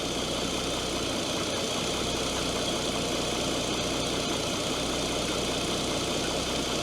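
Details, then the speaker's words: Opel Omega B V6, first start after new valve cover, valve cover gaskets, coolant valve, coil, plugs and wires: a smooth idle with a faint light tick that fades as it runs. Owner suspects hydraulic lifters after long standing; coolant still needs bleeding. "Vielleicht ist das Klacken jetzt wieder Hydros gewesen."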